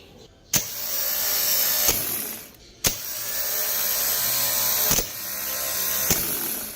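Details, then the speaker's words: Starter motor bench test, jumping the BAT and Start terminals: three short runs, each a sharp click as the bendix throws out, then an even high whir winding down cleanly; the starter is working properly. "como V nuestra prueba salió bien sale nuestro bendix hacia adante y gira entonces podemos decir que nuestro motor de arranque está bien"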